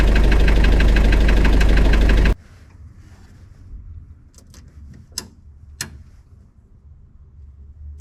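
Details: Spryte snowcat "Rusty" turbodiesel after new OEM Zexel fuel injectors fitted and primed: fires and settles into steady even idle with regular beat, no stumble, before shutting off; noticeably smoother, rock-solid idle.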